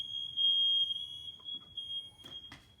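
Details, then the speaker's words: Interconnected ionization smoke alarms during a test: a steady piercing high tone for nearly two seconds, then fading. This unit itself isn't ringing, but it's interconnected. "oh my God this isn't ringing but it's interconnected"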